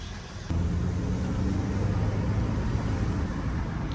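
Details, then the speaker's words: Chevrolet Malibu test drive after replacing a stubborn wheel bearing: only low steady road rumble, no howl or hum rising with speed; the new wheel bearing sounds healthy and the car tracks straight. "No, it seems to be doing just fine. It's not making any noise. That's a plus."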